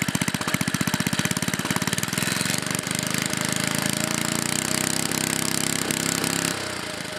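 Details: 1958 Briggs and Stratton Model 6B, rebuilt with new rings, valves, ignition coil work, changed flywheel and cleaned tank, running: sharp even popping picking up to a faster steady beat without misfires; runs healthily.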